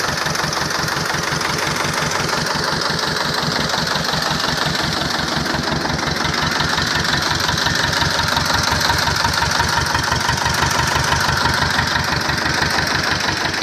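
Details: T-25 tractor diesel engine after repair, normal idle: steady, even thump of a small diesel idling at a regular pace, no knocks or misses; engine sounds healthy.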